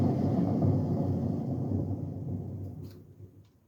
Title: Bush A126Q Washing machine test spin ( Bad Bearings )